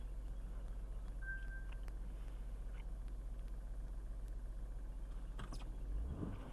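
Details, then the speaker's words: Caravan with distributorless electronic ignition, cold engine after it died in a parking lot: steady even hum, idling slightly high, no misfire, so plug or coil wire fault seems unlikely. "All right, so when it's cold, it runs, but we're at a little bit slightly higher idle."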